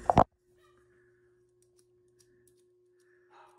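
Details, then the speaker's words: Gas furnace inducer draft motor clicks on, then only a faint steady electrical hum: motor stalled, not turning; debris (possibly a bug or moth) jammed it, freed by spinning the shaft by hand. "think I'll turn it on first clicked uhoh I hear it humming"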